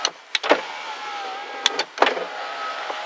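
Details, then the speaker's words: 2000 Ford Expedition driver's door, key on accessory, power window run up and down, with sharp irregular clicks and rattle over the motor hum. The owner suspects a loose keypad wire or a rod come off inside the door. "Okay, just to give you a demonstration of the noise that I am hearing. Uh, I'm inside the vehicle. I got the key on accessory. I'm going to put the window up and down and you'll hear it"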